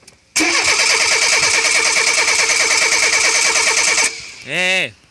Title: Renault 9 Cheverny hard start after changing fuel filter and spark plugs